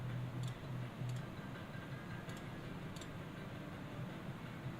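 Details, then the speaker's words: Console during repair: a few sharp irregular clicks, about four in five seconds, over a low hum as the optical drive keeps trying to seek while the console seems frozen; optical drive clicking. "I hear it like the CD drive's trying to do stuff come"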